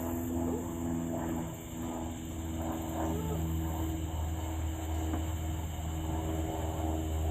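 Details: Car "Suzie" just after new starter fitted, started on a weak battery; fires up right away, loping idle about four beats a second, sounding like a roller cam; runs without faltering.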